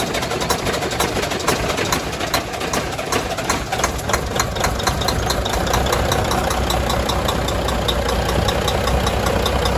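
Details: Volvo FH600 16-litre D16 engine idling on its first start after repair (rust in cylinder, bent valve), freshly filled with antifreeze and oil; big six-cylinder diesel idles steadily with even injector clatter, no misses, knocks or hunting; normal healthy idle.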